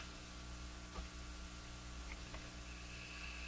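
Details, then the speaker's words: Japanese Zephyr Model 1 radio after replacing leaky capacitors: steady hiss over low mains hum, no station received. "Still doesn't want to receive anything."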